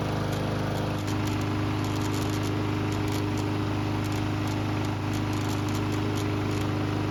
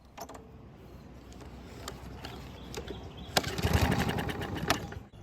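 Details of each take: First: Barn-stored, neglected lawnmower on non-ethanol 89 octane fuel with stabilizer, run several minutes until hot: steady, even single-cylinder drone at constant speed, no misses, surging or knocks; healthy after repair. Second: Neglected barn mower, missing air filter, primed with fuel, recoil start with loose starter pawl: scattered pull-cord clicks, then a ragged second of firing that fades out; engine fires but won't keep running, not worn out.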